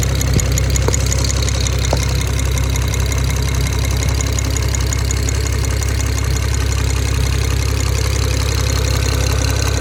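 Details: BMW 335i N54 idling, steady low drone with a light fast ticking/pinging about three a second, source unclear; suspected valve tapping, rod bearing or injectors; engine ticking.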